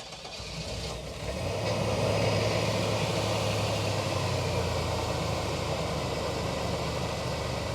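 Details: 1997 GMC Safari 4.3 Vortec conversion van that cranked but wouldn't start, caused by a melted fuel pump connector pin: short crank, catches within a second and settles into a smooth, even idle; normal start and idle.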